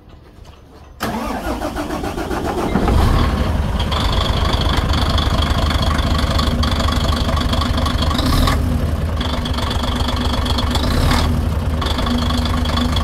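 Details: 6m70 engine (title calls it low-power and still knocking): diesel cranks, catches and settles into a steady, even idle, quiet with no ticking or knocking heard. Speakers say it has power and the knock is gone. Normal idle.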